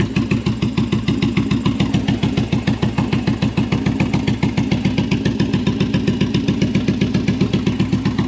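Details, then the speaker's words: Bobber V-twin with a newly installed Cobra Speedster exhaust, on choke: a lumpy idle with uneven firing and occasional exhaust pops. Owner suspects it is running a little lean; the carburetors need syncing and tuning. "all right so it runs it runs like mostly because uh the carburetors need syncing and fine tuning I think right now it's running a little bit lean maybe just because I kept hearing pops but either way sounds good"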